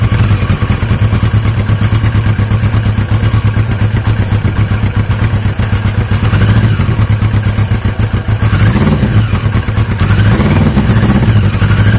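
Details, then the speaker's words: Yamaha XJ750 four-cylinder motorcycle: lumpy idle with rpm surging and sagging; owner is adamant the carb isn't working, fuel poured directly just leaks out; carbs from the XJ650 later swapped in. "it's the carb I'm adamant at this stage that the carb isn't playing"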